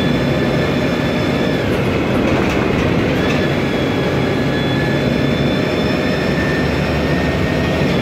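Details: 2007 MAN Lion's Classic CNG city bus, MAN E2876 LUH03 EEV turbo engine, Voith DIWA 864.3 4-speed automatic, noisy Voith gearbox: steady high whine over constant rolling rumble, never easing, while underway; automatic transmission whine.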